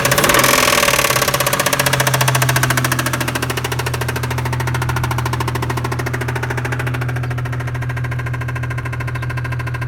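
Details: 1996 Toyota Tacoma 3.4L 5VZ-FE at idle, good compression, after new coil packs, wires, plugs and injectors: loud sharp tapping about 3.5 per second; owner suspects rod knock, plans to check valves.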